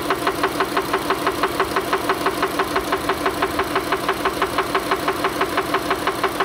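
Sharp, even knock about three times a second over a steady idle, perfectly regular; an internal knock of unknown cause.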